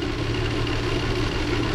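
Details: 2006 Subaru B9 Tribeca idling with a faint uneven exhaust pulse, runs poorly; codes show multiple misfires including P0301, cylinder 1 worst, cylinder 6 also contributing; relative compression and ignition checks under way.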